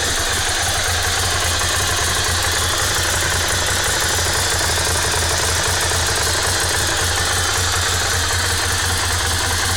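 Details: Ducati Monster S2R 1000 at idle: steady idle with a busy, clattery mechanical rattle over the exhaust beat; abnormal engine noise, cause not pinned down.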